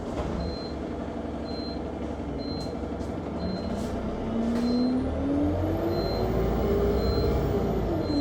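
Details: Go-Ahead London (Blue Triangle) Enviro 200 MMC 10.9m bus SE310 YX69NNP on route 364, recorded on board: a short high beep repeats about once a second over engine drone and a rising whine as the bus pulls away; continuous warning beeping, cause unknown.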